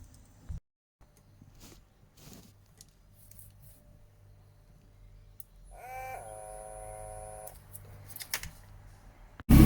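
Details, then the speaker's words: XR5X4 Turbo build, pump bench-tested on 12 volts: quiet, then a short steady-pitch electric whine about a second and a half as the pump engages; working normally, afterwards the back wheels move. "we're listening for the pump firing up when I connect 12 volts to be honest I haven't actually done this before so I don't know what it should sound like but as long as that that pump engages I think it's working"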